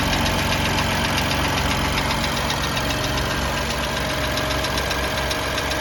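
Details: BMW M4 with a light, quick tappet tick of about four per second over the hum at cold idle; the car went in for warranty repair over this noise, and valvetrain/lifter tick is suspected.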